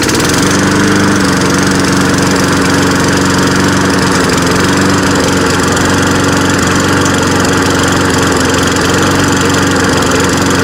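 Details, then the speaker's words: Free, trashed lawn mower after fixing a stuck carburetor float and a leaking bolt; it backfired on starting. It holds a loud fast idle, but the beat is uneven and wavers; it runs rough but does cut grass. "so it doesn't run too good but it does run"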